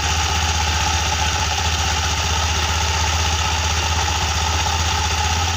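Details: Honda Beat scooter, CVT previously making a rough noise like a failing clutch or roller housing, during CVT reassembly: steady, even idle with smooth low pulse and no knocks, rattles or belt slap; engine and drive sound healthy.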